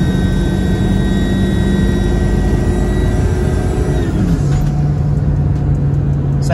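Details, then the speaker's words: 7.3 Powerstroke diesel truck, stock exhaust and muffler, TS Performance chip on 75 hp tune, after swapping the factory airbox for a 6637 filter, on a road test: heavy roar with a louder, clear turbo whistle shifting with revs; normal turbo spool under full throttle. "All right, guys, one thing, you can hear the turbo much more. The turbo sounds really good."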